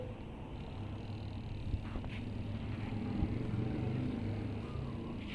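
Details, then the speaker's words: LG twin-tub washer after repair of a spin tub that would not run. The broken hook pin for the clutch pull cable was replaced with a drilled-in bolt. Now a steady low hum and even rumble with no knocking or scraping; the spin tub runs normally. "ได้ยินเสียงมั้ยครับเสียงถังปั่นแห้งหมุนละก็ทำงานเรียบร้อยนะครับ"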